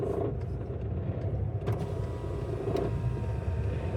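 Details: VW Golf MK5 GT 2.0 TDI: low diesel drone with a loose, uneven rattle and a couple of sharp knocks at low rpm when lifting the clutch, persisting at higher rpm; sometimes a sudden thud when accelerating. Gearbox suspected, cause unclear.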